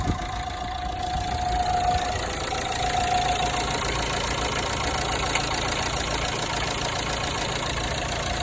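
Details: Renault Megane 3 1.5 dCi diesel at idle: an irregular metallic crackle and ticking near the belts, worst when starting the engine. The cause is not confirmed.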